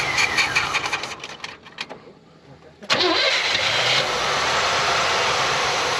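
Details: 1968 Oldsmobile Cutlass just delivered from Wyoming, battery swapped, gas poured down carburetor: V8 catches after a pause and runs roughly, then dies without fuel supply; fuel pump suspected, not confirmed.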